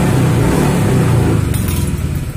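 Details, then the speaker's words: Honda Vario scooter that used to die on sudden throttle, run without its dirty air filter: a quick blip revs strongly and evenly and returns smoothly to idle without stalling. "jadi suaranya masih halus enggak ngos-ngosan kalau kalau enggak pakai filter ya ininya itu mouse ini masih halus dan Dika spontan sekarang pun sudah enggak langsung mati ya teman-teman"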